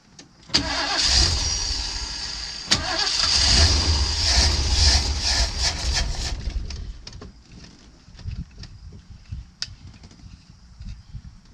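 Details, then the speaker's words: Crank, no start on the V8 of a custom 1979 Ford Pathfinder Quadravan 4x4, just fitted with a new carburetor and choke propped open. Starter spins steadily about six seconds without a single firing. Owner suspects no fuel is arriving; the carburetor fuel pump used to pump. "It's my guess it's not getting fuel. Yeah, it ain't getting fuel."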